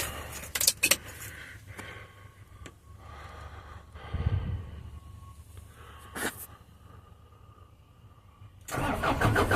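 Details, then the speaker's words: 2011 Isuzu NPR/NRR 5.2 diesel, sat about a year, new batteries, fuel primed 2–3 minutes with hand primer bulb: few faint clicks, short crank, catches and runs steadily; normal cold start. "There She Goes well that was easy nothing to it just prime it up and crank it"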